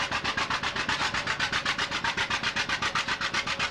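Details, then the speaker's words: John Deere two-cylinder tractor with sideways engine and outside flywheel, a "popping Johnny", pulling: slow even pop-pop exhaust beat about four a second, steady and unbroken; normal running. "the A's the B's and so on are what they call popping Johnnies they go pop you can hear them two cylinder the engine sits sideways"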